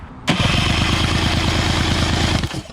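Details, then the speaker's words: Outboard motor that sat without spark plugs, fuel pump and filter missing, cranked for compression test: even regular cranking pulses, no soft beats, readings 110 to 130; good powerhead, normal cranking compression. "sweet we have a good power head 110 120 130 on the dot"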